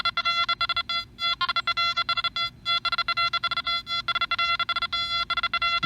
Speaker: three separate targets right next to each other and this machine recovers quickly to let you hear all three